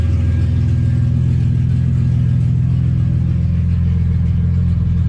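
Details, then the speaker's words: Ford Falcon drift car idling just after fitting a new Walbro 255 fuel pump: deep even rumble, steady, no misses, knocks or hunting; running well, pump humming. "Oh, she's running good. Hopefully when we go side to side, no surge anymore."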